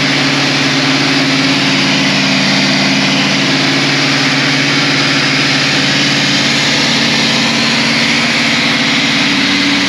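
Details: Caterpillar 3208 diesel just after a fuel pump install and bleeding the fuel system: loud, steady idle with even firing and no stumbling; normal idle.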